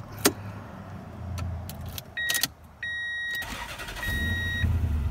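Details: Toyota Tundra with a fuel pressure gauge fitted via a banjo adapter in place of the fuel damper, owner chasing a low ~500 rpm idle (should be ~700) and starting trouble: short crank, catches at once, steady low idle with door chimes; a normal warm start.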